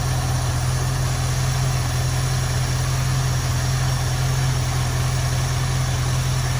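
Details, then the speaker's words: 1973 Ford Mustang convertible 302 V8, Motorcraft 2150 two-barrel carb; deep uneven loping idle, about eighty pulses a minute, running rough lean after idle mixture screw turned in, before backing it off. "i'm going to turn the idle mixture screw in until the engine gets rough i'll back it off a little bit it'll smooth out"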